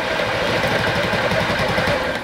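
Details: Honda Ruckus after cleaning clogged carb jets, first start attempt: fast uneven chugging as the engine catches briefly then dies; hard start, won't keep running. Owner suspects a valve issue, not confirmed.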